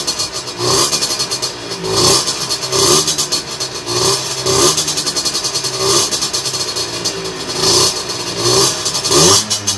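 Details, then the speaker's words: Two-stroke on a dyno bench with a 17.5 mm carburettor, after the air mixture screw was turned in to cure a lean mixture: quick repeated blips snap up cleanly from idle, drop back and hold idle each time without hesitation. Normal idle and throttle response. "elle est la première indication nous dit qu'on n'est pas trop mal son rôle en si tu voyais l'époque des stocks voilà la moto elle tombe bien on ralentit vraiment pas d'accès"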